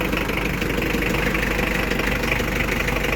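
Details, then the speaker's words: Mitsubishi Adventure 4D56 diesel, previously hard starting mornings, after glow plug fix starting with one click; even diesel clatter at steady idle about three beats a second, no stumble, healthy. "Okay na po. One click na."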